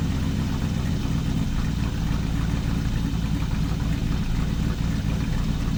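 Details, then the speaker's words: V8 first start after a valve adjustment with new valve cover gaskets (the driver's side was faulty) and a raised idle: loud, deep, steady idle with an even lope and no tick from the top end; valvetrain now sounds healthy. "at least with the idle raised right now even from where we left off at this is already idling ways so the drive train definitely needed the valve train definitely needed that"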